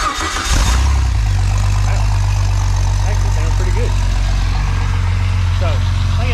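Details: Freshly built Jeep 4.0 inline-six from a ZJ Grand Cherokee, converted to a 00-01 XJ coil-pack engine, on an engine stand, restarted after a muffler was fitted: catches into a deep, steady, even idle with no knocks or misses; healthy.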